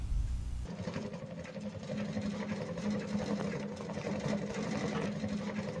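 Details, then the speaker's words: Shinpo Seisakusho FIRE SIDE wood stove with newly fitted damper, burning thin branch kindling, damper now closed: steady soft pattering flutter of intake air at a slower tempo, like easing off an engine's throttle; less air drawn, working normally. "空気を吸い込む時のパタパタパタっていう音がテンポが少し遅くなったのがお分かりでしょうか。エンジンのアクセルを緩めた時のような感じがします。"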